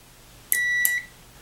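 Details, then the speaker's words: Arduino-driven 12V relay for a treadmill's 120V AC linear actuator, multimeter on continuity across the contacts: a click, then a clean half-second beep ending on a second click as the relay contacts close properly. "every time the relay fires it will be so that means it's making the connection"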